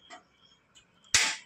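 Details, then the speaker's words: A new gas stove's built-in lighter system gives a few sharp dry clicks as it sparks, then a soft rush as the burner gas lights normally. "ఈ sound ఏంటంటే లోపల ఒక దాని system ఉంది lighter system దానికి వెళ్లి దాన్ని బట్టి టికి దాదే మనం ఆన్ చేసేటప్పుడు ఇదిగోండి ఈ సౌండ్ వల్ల ఏంటంటే స్పార్క్ అయ్యి గ్యాస్ వెలుగుతుంది."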